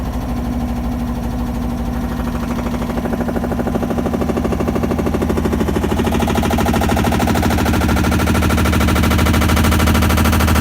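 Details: Samsung washer banging loudly and rapidly, about three impacts a second as the spin speeds up, even after all recall work and drum replacements.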